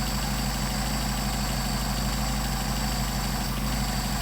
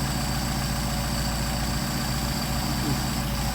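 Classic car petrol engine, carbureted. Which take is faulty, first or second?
first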